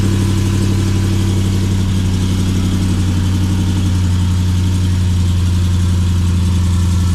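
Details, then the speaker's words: Custom RAM TRX with long tube headers, high flow cats, added resonators and side-exit exhaust, at cold start: deep steady V8 burble at idle with loud exhaust, no manifold tick heard at the wheel well; normal. "sounds like a Ticky broken old truck but they all sound like that it's totally normal"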